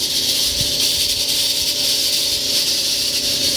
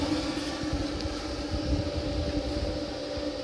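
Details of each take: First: Frigidaire-built Kenmore electric dryer, hot, belt disconnected from drum: loud steady rushing roar with faint low hum; noise from the motor/blower wheel area, not drum or drum bearings. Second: Kenmore-branded Frigidaire electric dryer after fixing the blower fan, reassembled, high heat warming up: steady low hum, even drone and soft airflow rush, no scraping or rattle; normal running.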